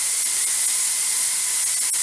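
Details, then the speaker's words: Presto 23-quart pressure canner venting before the regulator goes on: steady, even hiss, no sputter or surging; needs a steady stream for 10 minutes; normal steam venting. "now it's really starting to get it's vents going here it needs to be a steady stream for 10 minutes mine's almost there"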